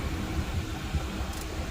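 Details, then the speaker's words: Ford Fiesta after replacing the noisy actuator under the dashboard: cycling vent, floor, windshield, cold and hot settings gives only a soft, even blower rush and hum with no clicking. The HVAC works normally. "no sound no noise everything works perfect"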